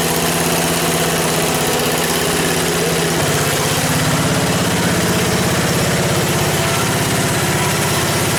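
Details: 1977 MTD 990 16 hp Dayton-badged tractor engine after the points were done, the coil gapped and ignition and starting-system wiring faults fixed: idles at an even, steady beat of about three pulses a second under some hiss, no misfires.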